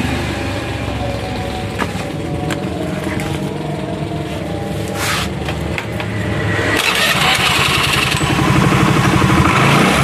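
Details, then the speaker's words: Honda Vario 110 scooter that stalled when hot, warmed fully and revved: steady tick about four times a second over the engine from the CVT; owner suspects the clutch shoes, cause unconfirmed. "Tak tak tak kadang ada timbul suara tek dari dalam sini."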